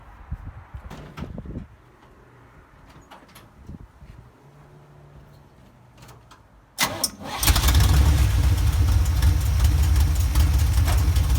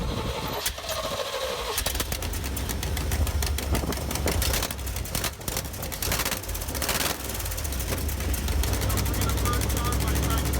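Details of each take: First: 1977 Chevy K10 pickup with a 350 small block V8, after welding a cracked header, reinstalling the head and fitting new gaskets to fix an exhaust leak: cranks briefly, catches, settles into a deep, steady idle with no ticking; normal start and idle. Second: 1977 K10 truck with 350 small-block Chevy idling, sharp uneven ticking and puffing over low rumble; exhaust leak at header, gasket blown away at head, missing at collector, possible hole in header.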